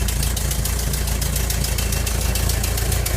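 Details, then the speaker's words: 1985 VW Vanagon Westfalia idling after ignition lock, gauge and headlight switch repairs: steady low rumble with a light regular clapping tick from a small exhaust leak; otherwise runs well. "a small exhaust leak which is a clapping noise the hearing and I'll have to fix that"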